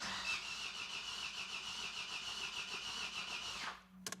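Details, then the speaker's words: Astra after an engine swap with a rebuilt scrapyard engine, fresh oil and filter, first start attempt. Starter spins fast and freely with no compression beats and no firing: no compression, crankshaft timing suspected a full 360° out. "The engine is turning over too freely. It feels like there's no compression whatsoever."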